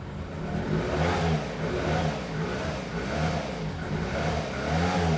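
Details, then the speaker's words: Nissan Micra K11 after replacing badly fouled spark plugs thought to have caused the no-start along with flooding: engine pulls up smoothly through repeated revs and settles back without misses or stumbles; runs clean, even and healthy. "then this is amazing. It runs really nice. I'm just going to rev it a bit. It sounds perfect. Absolutely perfect."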